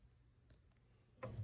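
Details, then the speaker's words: Yamaha C7 Disklavier Mark IV, just upgraded to Disklavier Inspire, sustain pedal test run from under the piano: a faint tick then a dull, heavy clunk from the sustain pedal solenoid, already calibrated electronically; fixed by removing the plate to access the solenoid. "I'm going to push the sustain pedal test hear how it clunks"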